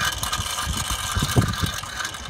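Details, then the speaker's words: Harsh, gritty squealing, grating scrape from a car wheel with uneven thumps, sounding like grinding brakes or a failing bearing; a stone is stuck between the corroded brake disc and the backplate. "you get this godamn awful squealing grating noise it's hard to describe exactly what it sounds like because it's awful it sounds like the wheel's going to fall off so it sounds like your brakes are grinding together"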